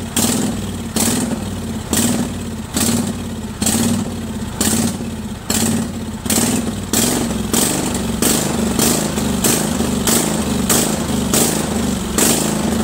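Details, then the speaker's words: Craftsman 20.5HP 46" lawn tractor, Kohler Command V-twin, before carburetor cleaning: engine swells and drops about once a second without settling, surging badly at all throttle speeds from a dirty carburetor. "right so now uh obviously you see it surges pretty badly"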